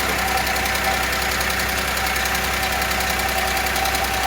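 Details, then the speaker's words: Audi A6 previously repaired, restarted after reassembly following loud knocking and condensate found under the cover: fast, even light ticking over steady idle plus a whistle; hydraulic lifters still pumping up, possibly damaged by oil starvation. "Пока стук есть, какой-то свист появился."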